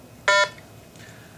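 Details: Short two-tone keypad beep in a quiet room as a digit of the 11-digit site ID is entered in program mode (code 21, Enter) on a RATH SmartPhone 5/6 elevator phone; normal digit-entry tone.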